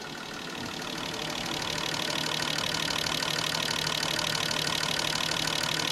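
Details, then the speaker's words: Fuel injectors on a bench testing unit during cleaning service, run through high-speed, accelerating and idling tests, flow glasses within one to three; fast, even ticking about three per second over steady hiss, no misses, normal injector operation. "Okay, here's another test. High speed. Accelerating test. Idling test"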